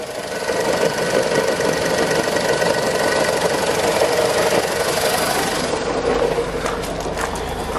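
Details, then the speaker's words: Skoda Fabia at idle before gearbox removal: nasty rough whirring grind with the clutch engaged that disappears when the clutch pedal is pressed; grinding noise at idle with clutch engaged, cause not confirmed. "can hear the noise is pretty much completely gone and if i bring it back up there's a pretty pretty nasty grinding noise"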